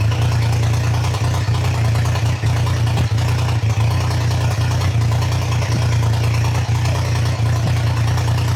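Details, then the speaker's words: Triumph Trident T150 triple, first start, choke open, warming up, idle screw being wound up before carb adjustment: fast, slightly lumpy idle with occasional small dips and pops; carbs still need setting. "It is getting closer to the point where it can tick over, so I'll wind it up a little bit more and then warm it up and start to adjust the carbs, I think."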